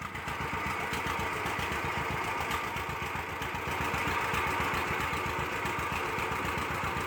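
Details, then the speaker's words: 1946 John Deere BO Lindeman crawler started with the manual carburetor choke left on: uneven, lumpy beat about four a second with stumbling firing; rich, rough running while leaving the garage. "In this video here, I started it with a choke on and as you can hear, it sounds terrible coming out of the garage and it's not until I just come out that I realized the choke's still on and and shut it off."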